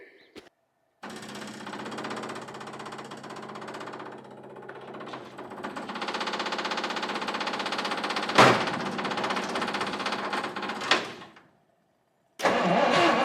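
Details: 1959 Studebaker Lark, 259 V8, sitting 36 years. After badly cracked spark plug wires were swapped, the starter cranks steadily in long bursts with a few uneven catches but never runs. Owner suspects the plugs need replacing next.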